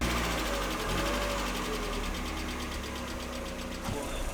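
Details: Mazda Miata petrol engine idling with a light, fairly quick hydraulic lifter tick over a steady low hum; lifter tick fix, spark timing reset to 10 degrees afterwards, sounding significantly better.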